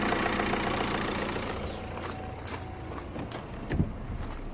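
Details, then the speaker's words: 2012 Opel Astra J diesel (listed as both 2.0 and 1.7 CDTi) with no power, check-engine light and P2004 code (swirl flaps/manifold runner control stuck open). Running after the manifold repair, before rescanning: an even, steady diesel clatter with no misfire or knock. Normal idle. "okay let's try again and he's running let me see if he runs okay yep looks okay to me"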